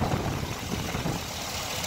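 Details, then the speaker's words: 2013 GMC 2500 at a pre-purchase inspection, idling with the hood open before the test drive: a steady, even low rumble with no belt or pulley noise. It sounds healthy, and the charging system reads about 14.5 V. "the engine seems to run nice and smooth haven't taken our test-drive yet I will after the video but as you can hear there's no belt or pulley noises anything like that"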